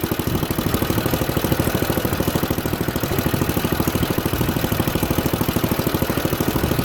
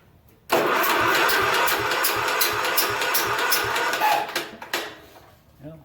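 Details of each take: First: Junkyard Ditch Witch C99 trencher, old, year unknown: quick, fairly steady thumping around two and a half beats a second with a rough edge as the drive and chain take load; engine pulls the load fine. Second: Junkyard Ditch Witch C99 trencher, old, year unknown, after lubing the starter bendix: starter cranks the engine at a steady churning rhythm with even, good compression pulses but it never fires; no spark, magneto and points to be checked.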